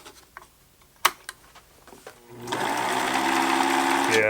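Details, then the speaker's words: Pfaff Hobbymatic 807 sewing machine after presser foot bar adjustment screw behind light bulb: runs up to steady fast whir with dry rubbing drag, maybe slightly quieter but still there; source not found, owner suspects bottom of machine. "it might be slightly less noisy but there's still a sound i don't love"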